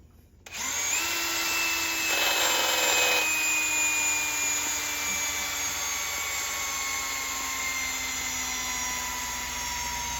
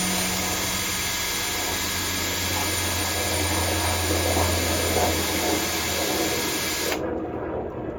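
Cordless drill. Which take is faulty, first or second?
first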